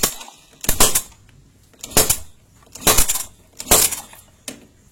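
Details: Yamaha Jupiter Z motorcycle with the spark plug removed, finger over the plug hole and ignition off while kick-started: loud sharp pops about once a second, strong blowback showing good compression.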